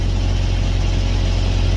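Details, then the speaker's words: Carrier/Thermo King reefer unit diesel after refuelling and priming, running in continuous mode: deep, steady drone at even speed with no misses, knocks or surging; running cleanly, load safe. "we're gonna let it run it continuous for a little bit green light load is safe"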